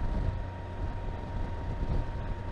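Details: 2021 Can-Am Spyder F3T, 169 miles, riding at 48-51 mph after drive belt alignment: steady mid-pitched hum over road rumble, loudest near 50 mph, gone at 51; drivetrain hum of unknown origin, owner suspects pulleys.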